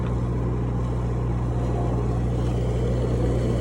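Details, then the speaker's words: Cummins 4BT four-cylinder marine diesel generator on a 94' Broward yacht, after replacing fouled injectors that caused smoke, smell and water sheen; now clean. Steady, even low drone, no misses, knocks or surging; normal running. "So I think that the injectors just really needed to get replaced on this one. So I think we're good."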